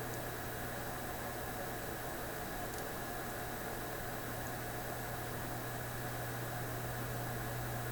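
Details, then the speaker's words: Homebuilt 3 V AM radio with OTL output from a Mykit System 7 kit, camera on the speaker: only a steady even hiss with a low hum beneath and no station or tone coming through; weak reception. "okay here's what you can hear so far a little bit of static"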